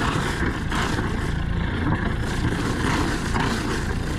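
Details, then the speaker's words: Catalina 310 Universal M25XPB marine diesel idling at 1,000 rpm just after start: steady, even low rumble with cooling water splashing from the exhaust; all gauges good, a normal idle. "We got that noise. RPMs are at 1,000. Everything's looking good."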